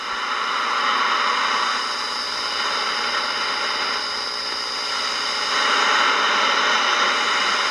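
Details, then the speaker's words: Ross RE-1207 radio after recap and repair, tuned on AM around 5 pm. Constant hiss and crackle with only faint, unsteady tones; poor reception with weak stations, too early for evening skip. "definitely another station though it's uh five o'clock so i don't think it's really late enough for skip to be rolling in"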